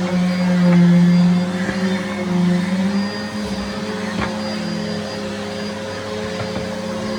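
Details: Henry HVR200 vacuum (from 2001) running after motor replacement, new bag and filter fitted: steady, even motor hum at constant pitch, no rattling, scraping or surging. Normal running.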